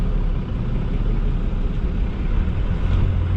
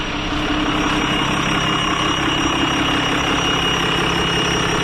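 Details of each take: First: Diesel truck with about 320,000 miles, idle raised to roughly 810 rpm: a deep, even rumble as the clutch comes out, pulling cleanly off idle with no bogging or stumbling. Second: Diesel truck: a steady high scream rides over an even idle, heard only on the intake side while the exhaust sounds normal, like a turbo whining; owner plans a rebuild. Cause suspected, not confirmed.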